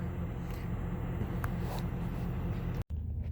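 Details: 2006 Chevrolet Trailblazer after replacing alternator with failed pulley: low, steady idle rumble with no whine, squeal or grinding from the engine front; normal idle, new alternator charging.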